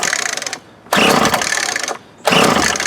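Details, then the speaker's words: 20-year-old 2004 Craftsman 32cc curved-shaft trimmer after new fuel lines, filter and used plug: catches in rough one-second bursts, dies, refires, won't settle; owner suspects flooding or old carburetor with stuck needle. "Yeah, it's gonna make a liar out of me, unless it's flooding real easy for some reason."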